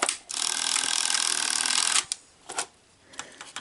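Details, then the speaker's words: Sony SLO-420 Betamax VCR (Sony 711 chassis), very dirty: motor whirs about two seconds then clicks and clunks trying to thread with no tape, as a dirty cassette-in switch falsely detects a tape; belt also slipping. "But now when I try to insert tape, it wants to thread because it thinks the tape is already in."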